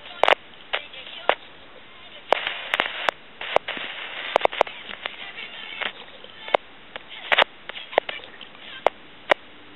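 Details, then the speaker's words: Tele Concepts telephone handset, potentiometer in microphone feedback circuit: irregular sharp crackles and sizzling when touched over a quiet line; noisy potentiometer, possibly to be replaced with a fixed resistor. "potentiometer and you can hear that sizzling and cracking from that potentiometer"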